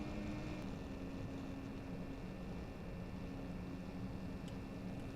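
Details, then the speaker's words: Stock 40 mm 12 V fan from a T-8280 IR preheating plate, run at rated voltage on a bench supply with the microphone in front: a steady high whine over the airflow hiss, constant pitch; to be replaced by a 5 V Noctua fan. "Again, it's just that obnoxious whining noise. It's horrendous."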